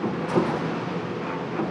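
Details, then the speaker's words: Amana dryer that had stopped spinning, after drive belt replacement: even, steady tumbling rumble with no squeal, thump or scraping; drum turns smoothly, rotation restored. "and hit this magic button here and voila as you can see we got rotation now"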